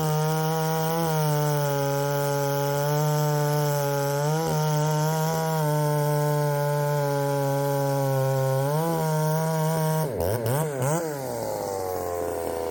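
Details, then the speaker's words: Poulan 3750 chainsaw, ported, with Chinese Echo 590 replacement carburetor adapted: high buzzy note sags and wavers before revving; runs and tunes erratically when warm even after carb swaps; owner suspects a cracked crankcase. "when it gets really good and warm it uh it starts running erratically and the IT Tunes erratically and nothing really quite makes sense"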